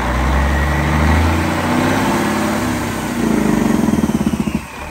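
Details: Cat 3406E diesel in a 1999 Western Star 4964SX truck: steady low clatter with even firing pulses and no knocks or misses. Normal idle.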